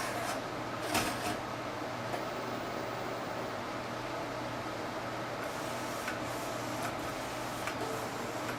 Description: I notice "clean head" or auto system maintenance trigger this "hissing sound" that lead to error counter reset.